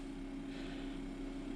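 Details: 12V DC refrigerator/freezer cooler on a LiFePO4 lithium battery via a 12V 14AWG DC plug adaptor, running about 5 minutes. Steady low hum, constant mid tone, no rattles or cycling; normal compressor running. Readings: 13.3 V, 2.5 A, 31.9 W, 1% battery used.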